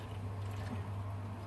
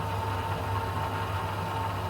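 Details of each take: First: Baxi Combi 133 HE Plus boiler after pump work during a diverter valve and actuator replacement: a rising tone as air passes grows louder, then disappears, leaving a quiet, even hum as the circulating pump runs smoothly. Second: Baxi Combi 133 HE Plus boiler in heating mode after diverter valve and actuator motor replacement: pump hum with a thin whine that rises, then turns much quieter as trapped air clears from the circulating pump.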